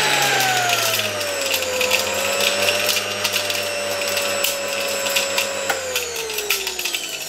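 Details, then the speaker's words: Motor removed from a 1989 Soviet Uralec vacuum cleaner, run on reduced voltage: whine falls gently with scattered rattles from sand and dirt loose in the fan turbines. "You see, as I said, there is some sand, some dirt in these turbines. You can clearly hear how everything is reflected there."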